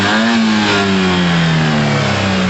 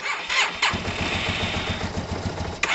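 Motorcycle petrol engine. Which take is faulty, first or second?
second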